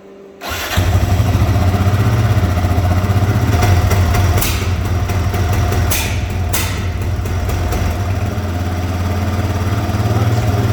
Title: Raptor misfire and sputter (fix)